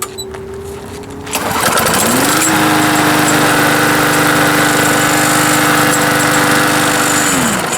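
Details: Mower brought in as a no-start, after a simple fix: engine catches and settles into a steady, even drone with no misses, knocks or surging; normal running.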